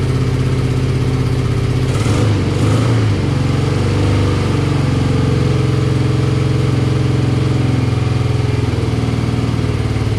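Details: Classic BMW R65 boxer twin (about 1983–84) on a Will-it-run start, on partial choke: an even, steady idle with a smooth low beat and no clunks or misses, suggesting a healthy engine despite smoke from the left side.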